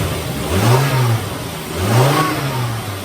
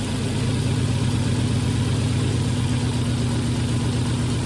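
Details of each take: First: 2001 Volvo five-cylinder, towed in for a misfire, after repair: two smooth throttle blips rise and fall cleanly from idle with no stumble or popping; all five cylinders are firing evenly. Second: 2001 Volvo at 325,000 miles with a cylinder 3 misfire code, plugs reportedly replaced earlier, bad coil suspected: steady low idle with an uneven, lumpy pulse and an occasional snap; misfire at idle, cause not confirmed.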